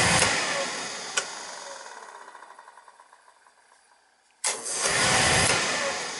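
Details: Beckett oil burner on a boiler that kept tripping out on safety, with a weak transformer already replaced: after a quiet pause it lights at once with a sharp whoosh, then holds a steady, even roar; clean ignition, no hesitation.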